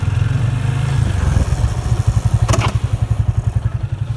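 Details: Yamaha FZ25 ABS motorcycle (bought March 2019), rear brake applied moderately, often in 1st or 2nd gear: low rhythmic scraping pulses, three to four per second, slowing as the bike stops; owner suspects shoes rubbing metal or early ABS, brake shoes checked not dislodged.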